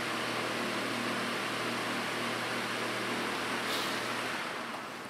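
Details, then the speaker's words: Dayton fan after increasing blade pitch to load the motor, running on low speed: soft, even low hum with a gentle airy rush and no rattles or ticking; smooth and quiet, though pitch went slightly too far. "I'll turn it up to high and you'll see why not running very fast low is nice and quiet though"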